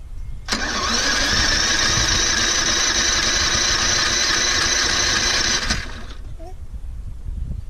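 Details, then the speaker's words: Toro Recycler 22-in model 20334, 190cc engine, electric start, auto choke, January cold start after sitting some time. Brief crank, then catches and settles into steady buzzing run before shutting off; took a bit to start from cold. "And the electric start one, it took a bit to start, it finally did."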